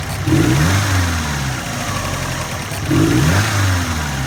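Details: 2002 Subaru WRX (hybrid) after oil pressure dropped to zero, oil cooler lines removed and refilled: idle then two revs with dull bottom-end knocking under rising note; owner suspects rod knock, unconfirmed.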